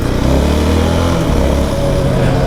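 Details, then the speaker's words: 2019 Yamaha YFM 700R Raptor quad on asphalt with knobby tires: loud steady low drone over engine, building up especially around 50–70 km/h. Normal knobby tire road hum. "das einzige was ein bisschen nervig ist beziehungsweise auch störend sind wie reifen sind so ultra- laut wenn ich nachher so bestimmte km h fahren"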